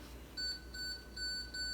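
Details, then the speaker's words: Student prototype parking sensor/blind spot monitor, approaching a wall: four short clear high beeps, rate rising with proximity. "you can hear it beeping faster faster and then if we get closer it will get even faster until it's a solid note that means you should stop"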